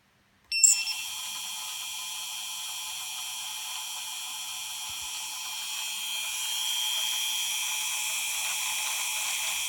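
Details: Xnova 2204 brushless motor spinning: high-pitched whine with a fast, rattly ratcheting buzz over it, holding steady, odd motor noise, cause unclear; ratcheting noise.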